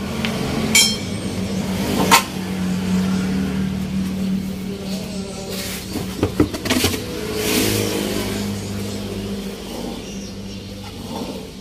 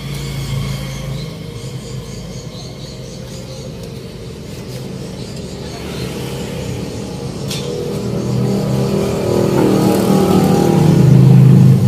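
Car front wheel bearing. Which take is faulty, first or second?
first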